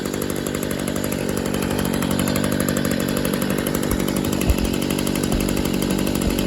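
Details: 2011 Stihl SH85 leaf blower/shredder vac on half choke after fresh fuel, new fuel filter, Bosch spark plug and slight carburetor adjustment; small two-stroke buzzing at steady high speed, even firing, no stumbles or surging. Normal running.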